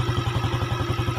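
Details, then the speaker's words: Yamaha Jupiter (Robot/Salib), kick-started after an engine rebuild fitting a Mio connecting rod and piston: firm, even single-cylinder idle. Fuller than the weak sound before, as compression is now standard; healthy. "sekarang sudahah suara nya standar atau pastinya lebih padat ya kalau sebelumnya rada ngempos ini lebih padet suaranya karena kompresinya standar"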